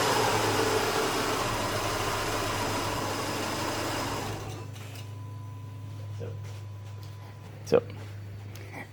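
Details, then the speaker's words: 2008 Subaru Outback, EJ25 non-turbo 4-cylinder, 5-speed manual, about 96,000 miles, once warm; idle deteriorates into uneven stumbles and the engine dies at about 4.5 seconds, hot stall. "basically there's nothing wrong until it gets warm and then the idle starts to deteriorate and then eventually you start to get stumbles and then it'll eventually stall"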